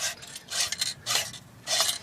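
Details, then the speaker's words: Ford Mustang clutch job, transmission removed: throwout bearing turned by hand gives dry, gritty rasping in short bursts instead of spinning freely; bearing seized, toast. "So throwout bearing is toast on this."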